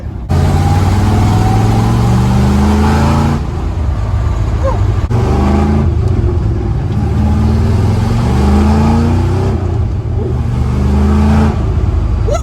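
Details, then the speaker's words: 1974 Corvette V8 after engine fix, warmed up, road test at cruising speed with about 60 psi oil pressure: strong, even pull with smooth rising note, no knocks, misses or hesitation; healthy engine under acceleration. "guys so the Corvette feels absolutely amazing it has great oil pressure it is feeling really really smooth I rolled into it a few times and it didn't hesitate once"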